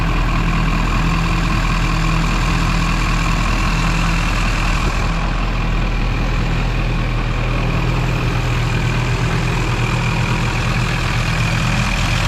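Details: Duramax diesel (2001-2016 range) after installing Dynovox stainless up-pipes replacing the OEM pipes. Deep, steady idle clatter with an even beat and no exhaust puffing or ticking. Normal, healthy idle.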